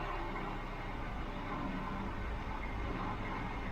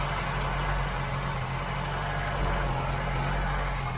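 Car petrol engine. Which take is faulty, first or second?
second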